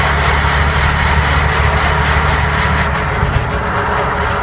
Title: Gearbox noise